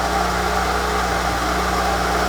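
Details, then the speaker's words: VW T4 van sat in a barn 7–10 years as a non-runner, first start after revival: steady idle with a constant mid-pitched whir over the engine, no knock; noisy water pump. "You can hear the water pump is not too pretty, if I'm honest. You can hear that whirring away. But to be expected if it's sat there for that long."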